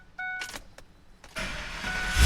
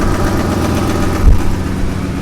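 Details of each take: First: 2002 Ford F-250 5.4L after exhaust manifold leak patch repair on both sides, cured over 24 hours: clicks, cranks, catches and settles into a deep even idle; previous exhaust tick and popping gone, heard from cab. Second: 2002 Ford F-250 5.4L V8 at idle; quick, light ticking on the engine pulses from a passenger-side exhaust manifold leak with no broken bolts seen, possibly also a lifter tick; before the manifold repair.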